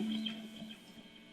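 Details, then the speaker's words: Electric guitar through an amp with a steady low electrical hum from electromagnetic interference picked up by the pickups. The buzz fades when the guitar is turned to the left or its volume is turned down. "watch as i turn my guitar a little bit to my left see how it kind of goes away that's emi"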